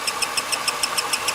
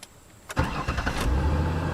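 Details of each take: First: 2002 Ford Taurus 3.0 with intermittent no-start; sharp high chirps about seven per second at idle, sounding like a belt, traced to failing camshaft position sensor (gray-top sensor). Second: 2002 Ford Taurus 3.0, intermittent no-start that started every time, battery recently replaced, during battery/starter test: short, brisk, even cranking, fires within a second into a smooth steady idle; cranking normal.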